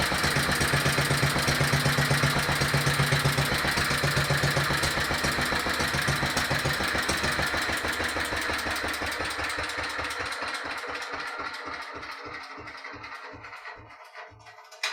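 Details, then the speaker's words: Petter stationary single-cylinder engine, warm, carburettor still too small, a bit smoky, run out of petrol to stop it as the switch failed: thumps about four per second, uneven, missing and spluttering as it dies away; cause not confirmed. "as typical this engine normally runs absolutely beautiful and it's completely Flawless but of course when you want it to run nicely while you're videoing it it plays up you hear it coughing and splattering"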